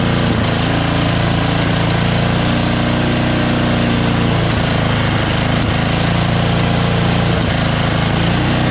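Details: MTD Yardworks snowblower, Tecumseh 13 HP engine, 33-inch, started before a winter storm: runs steadily but with occasional sharp pops every second or two, intermittent backfiring; owner suspects sticking valves or dirt in the carburetor.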